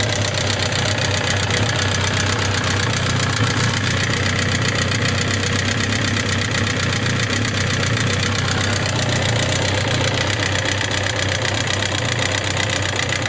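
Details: Suzuki GSX750S Katana at idle: fast, light top-end ticking of about four per second, which began after hard revving; it persists despite new rocker arms, camshaft and cam-chain parts and tappet clearance set from 0.07 to 0.15 mm, cause unknown.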